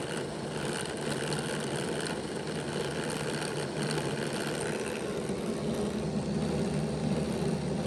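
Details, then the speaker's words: Bachmann Dash 9 model locomotive, rear motor block on stationary rollers, running reversed, before contact fix: steady low motor growl with rough, gritty edge, more of a growl than the front block; gearing growl, rear block had been stalling. "the sound was prevalent, and you could hear that it was making more of a growling sound than what the front motor block was making."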